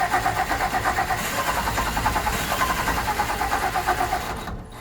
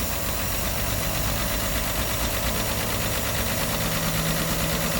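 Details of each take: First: 1964 Olson Kurbside stepvan, 223 Ford inline-six, first start attempt after sitting 29 years with fresh fuel and spark: starter turns slowly and unevenly, about three pulses a second, then drags and dies away; battery running flat. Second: 1964 Olson Kurbside stepvan, Ford 223 inline-six, first start after sitting 29 years, fresh fuel, choke held: steady, slightly ragged even idle with a faint high whistle, running on all cylinders.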